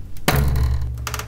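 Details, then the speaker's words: Volkswagen strut with damaged large rubber top mount, heard when turning and over bumps: single heavy low thunk with short boomy ring as the strut loads; worn strut top mount. "también algunos autos como los Volkswagen tienen una goma grande que sostiene el amortiguador con el chasis y usualmente si está dañada Al momento de dar vueltas y pasar por baches o desniveles suena el ruido"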